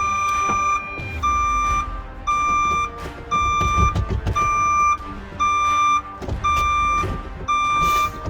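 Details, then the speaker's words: Ford Transit Mk7 diesel van, parked over a year with a dead battery, just powered up and stationary: a steady high beep about once a second, reversing beeper sounding continuously; reverse switch likely stuck on; battery earth terminal found loose. "Sounds like the reverse switch is stuck on."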